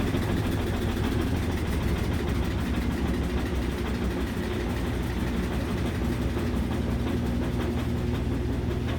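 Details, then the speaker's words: Washing machine, previously loud, after replacing belt, shock absorbers, drum support springs and pump: smooth steady spin hum with light rumble, no banging, hardly any shake. "It's hardly even shaking. It's got a little wiggle, but not much."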